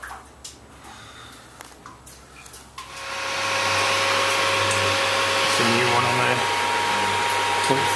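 After a few handling clicks the motor starts into a steady, even hum with no knocks or grinding; agitator drive running healthy.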